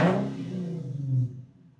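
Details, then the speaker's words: Infiniti/Nissan after throttle body cleaning and idle relearn, engine warm: short rev blip drops back cleanly to steady idle just under 1000 rpm, no hunting or stalling; idle calibration successful, normal. "and then give it a few revs now. Make sure it falls right back down there, like so."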